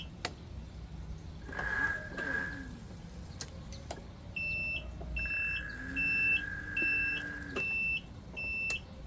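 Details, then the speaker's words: Ryobi RM480e / RY48110 electric riding mower after drive controller replacement, tested with covers off: key-on click, even reverse beeps about once a second and a rising electric whir as it moves and blades spin up; running normally. "Neutral. Turn it on, we got the click. Good sign, we got the reverse beep. Hey, we're moving."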